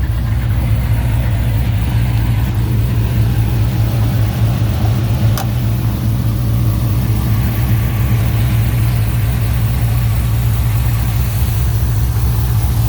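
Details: 2018 Dodge Charger R/T V8 with Jay Greene 217/238 cam, long-tube headers, full exhaust, intake and Diablo tune, warmed up a little: deep, loud, steady low rumble with a slightly loping, unbroken beat. Normal, extremely healthy idle.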